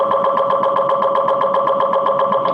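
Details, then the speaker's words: MRI scanner mid-scan during a brain imaging session with the subject wearing earplugs: loud steady buzzing tones pulsing about six times a second; normal MRI gradient noise. "hi so the span is happening right now and if you want to you can hear how loud it is"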